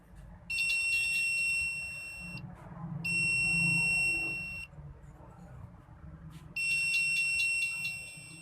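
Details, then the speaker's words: Analog meter on buzzer setting checking the ringer track of a China keypad mobile with no ringtone, black probe on negative: three steady high beeps confirming continuity on the ringer point. "हमें buzzer के अंदर से bell की आवाज़ भी सुनाई देगी।"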